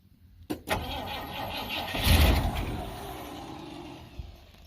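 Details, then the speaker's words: 1971 Ford F100 V8 right after a new starter solenoid was fitted. A click and a short crank, then it catches cleanly into a quiet, even idle; the exhaust smells plugged up. Normal start and idle. "Alright. Well, that was easier than I thought. Pretty quiet. Smells like the exhaust has been plugged up."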